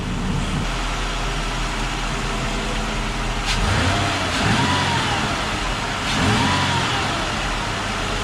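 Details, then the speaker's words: 2005 Ford Escape 3.0 V6 after fixing misfire by replacing bad number three and number one ignition coils under rear intake manifold: steady, even idle with smooth firing rhythm, no stumble, running cleanly. "you have it but it's running good now I'm just gonna get this all buttoned up and we'll be good to go all right guys running good no more misfire so ended up being number three coil and number one coil that were bad"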